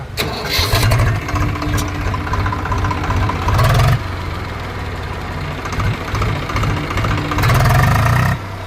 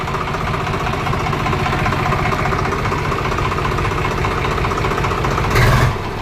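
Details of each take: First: Swaraj 735 FE tractor diesel after repair for overheating, stalling and tak-tak knocking: steady low chug at idle with a few quick revs, knock now gone: normal idle. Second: Swaraj 735 FE diesel tractor idling after overheating and stalling, with a hard rhythmic "tak-tak" knock; the mechanic suspects one or two seized pistons and opens the engine.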